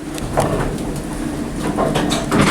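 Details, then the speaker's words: OTIS Series 1 hydraulic elevator: the sliding door rumbles with loose clunks and rattles as it travels and closes, shaking the entire cab; cause not stated. "That door shakes the entire cab."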